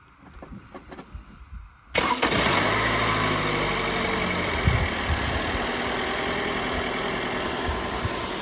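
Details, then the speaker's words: Toyota Camry starting after a new wiring connector was crimped on to fix a wiring issue: short crank, quick catch, then smooth steady idle with no misses or knocks; runs normally, repair works. "Sounds like it runs. So, looks like it works."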